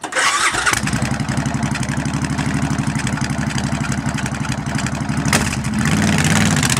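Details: Fuel-injected Suzuki Boulevard motorcycle with intermittent no-start and C12 crank position sensor code, after repairing a loose sensor connection; quick crank then catches into an even, steady idle with no misfire; normal start and idle.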